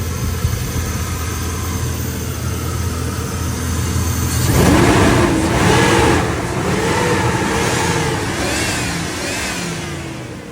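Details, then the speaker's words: 1999 Chevrolet LS 5.3 V8 after replacing plug wires (one was arcing) and cleaning injectors: low, smooth, steady idle at 630 rpm with no stumble; misfire counter shows no cylinder misfires. "como pueden ver ya no tenemos fallas de cilindro el motor estable completamente marcha mínima 630 revoluciones por minuto"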